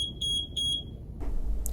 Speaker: the pump will attempt to restart the infusion after a distal occlusion alarm for one minute during this time the alarm will give three slow beeps